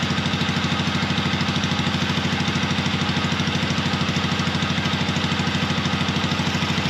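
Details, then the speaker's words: Long-stored 1970s Onan RV twin-cylinder gas generator, running without a muffler after transmission fluid was poured in and freed a stuck valve: loud, even, steady putter with both cylinders firing cleanly. "so yeah as y'all seen when I poured that uh transmission fluid in there it went to running good so like that other valve got unstuck so that is great that both cylinders are working"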